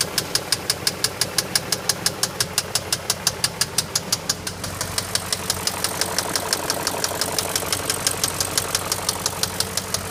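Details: BMW X5: sharp regular ticking knock, about three per second, clearly above a steady idle and unchanged as it settles; knock from inside the engine, cause unknown.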